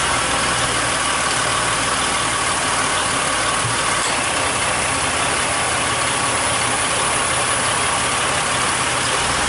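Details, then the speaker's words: 2004 Mercury Monterey after a compressor replacement, engine idling with A/C on max while recharging (1 lb 2 oz of 3 lb 5 oz in): the new compressor cycles, staying on longer each time, with an even hiss and whir and no knocking or grinding. Normal operation. "Cycling. The compressor staying on a little bit longer each time. I could hear it."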